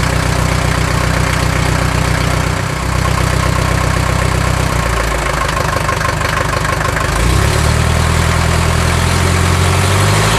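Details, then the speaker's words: 1979 Mercedes-Benz 240D diesel, first start in 13 years with the glow plugs wired directly from the battery and diesel purge being run: steady, even idle clatter, loud and raw because the exhaust system is missing. Running well. "it's running and it's running well like I said for the first time in 13 years"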